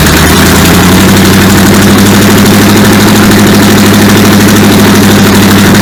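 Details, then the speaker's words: Supercharged V8 in a 1959 Vespa microcar, refuelled from a hand-held can with throttle worked by hand: catches and settles into a steady, even, deep idle with exhaust smoke, no knocks or misses; timing, fuel pump and cooling still to sort. "Well, she's running. Alright, well, that was a lot better result than we had the other day."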